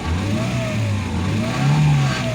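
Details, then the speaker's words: Ford Ka 1.0 Zetec Rocam after repairing broken timing chain guides, oil pressure now OK and no oil burning: revs climb and fall cleanly with an even note and only a faint pump whine; normal revving. "Aqui, ó, no caso ele ficou espertinho, ficou legal, aceleração, tudo, ó."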